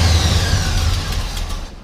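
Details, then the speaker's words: 1972 Chevrolet Chevelle SS 350 with headers, cold start: rough lumpy idle that sags and stalls within seconds; cold-blooded, may need choke adjustment; slight exhaust leak probably at header flange. "so it kind of died there you can hear a little tiny exhaust leak down there probably off the header flange um but it is a little a little cold-blooded might need a little bit of a choke adjustment"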